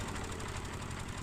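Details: Mitsubishi small diesel, probably about 21 hp, which after reassembly raced by itself and would not shut off, suspected from a shifted pump; now settled at steady idle with even low thump, no surging; running normally.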